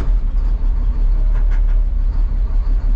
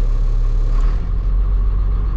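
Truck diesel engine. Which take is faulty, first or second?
second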